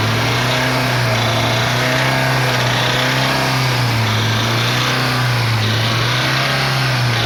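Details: Chevrolet Celta VHC-E engine running, struggling to rev: revs rise and fall unevenly with rough rapping underneath; internal play in rod and main bearings, pistons and crankshaft from poor maintenance, before full engine rebuild.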